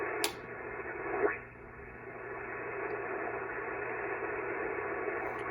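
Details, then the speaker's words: Ham radio receiver on battery power, with a Pyramid PSV500 switching DC power supply switched on nearby: a click, then receiver hiss climbs steadily into a rushing wash; RF noise from the switching supply, worse when connected to the radio. "so I've got noise even when I'm not connected to the power supply when I'm connected to the power supply I have even more noise"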